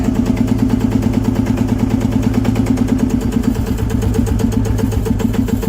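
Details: Old diesel engine started by a smoldering charge pushing the piston, set just past top dead center, instead of cranking: a slow, heavy thump about three beats a second, steady and even with no knock or miss. Healthy running.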